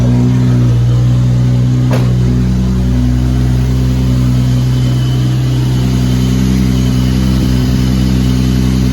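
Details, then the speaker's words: Lexus SC300 with 2JZ-GTE swap on EMU Classic ECU, not yet fully tuned, 4-inch straight-pipe exhaust: loud, deep drone holding a steady idle after a cold start, no hunting or surging. Normal cold idle. "So, and it's got a 4-inch exhaust, straight pipe. So here's a cold start."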